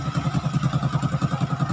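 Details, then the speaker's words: Honda XRM 125 after CNC bore, modified piston and lightly ported head, air cleaner fitted: low soft evenly spaced exhaust pulses about nine per second, no tapping or clatter; very quiet healthy idle. "So, ayan. Okay na. All goods na. Napakatahimik na makina. Wala ka lang marinig na ano."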